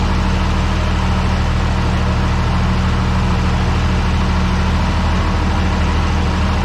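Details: Tractor idling at 48°F after a quick start aided by the intake-air preheater, oil pressure okay: steady, deep, even diesel idle with no misses, normal idle.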